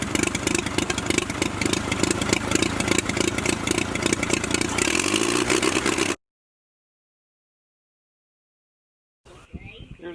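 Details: Oliver OC3 tractor's first start attempt after fitting a new carburetor and linkages, with fire, compression and fuel set up: the engine cranks, catches and runs with a fast, fairly even firing beat before cutting out. Normal running.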